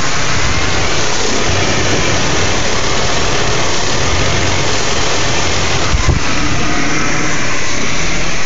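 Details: BMW E39 528i at idle: a lumpy, uneven low beat underneath with a slight stumble now and then; a rough idle, cause not obvious.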